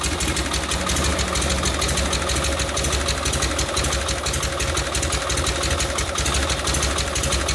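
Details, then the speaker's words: 1952 Harley panhead FL bobber after a Linkert carb rebuild, idle lowered after idling too fast in the heat; loping V-twin idle with a steady beat, no spitting or stalling; normal idle. "I had to adjust it while I was writing because it was idling a little too fast in the heat"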